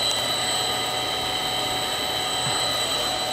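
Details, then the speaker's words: Three-phase milling machine motor on a VFD, now turned down to low frequency and just putting along: even, steady hum with constant high drive whine, no knocks or grinding; normal slow running. "I believe I could change those parameters so it could actually overrun the speed, too. And now it's just kind of putting along."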